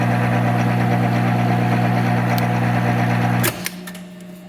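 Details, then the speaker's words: Monarch 10EE 30-inch lathe, first run after sitting about 20 years, threading with half nuts engaged: steady geared hum with even whir about four times a second, winding down at stop; normal, noisier threading thought due to more gears. "so like my other machine always noisier in threading i think there's more gears for it to go through"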